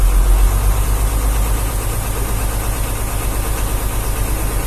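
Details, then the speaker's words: Hino Vector tronton dump truck (pneumatic dump system), just started and idling in neutral: deep diesel idle with a slightly loping, uneven beat around three per second, steady throughout; this limping idle is described as normal for the Vector. "Suaranya emang kayak gini yuk. Itu udah ciri khas filter. Vector Ya. Suaranya pincang-pincang gini ya, tapi normal."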